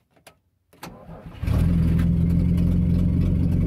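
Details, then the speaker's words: 1950 DeSoto S14 flathead six, crossed plug wires corrected, fed from a gas can via hose to the carburetor: short starter whirr, fires within a second and settles into a smooth, even, deep idle; healthy start. "start right up all right so I think I'm gonna end this here with the DeSoto uh it runs awful smooth starts up pretty easy even with just uh a gas can on the fender and a hose run to the carburetor"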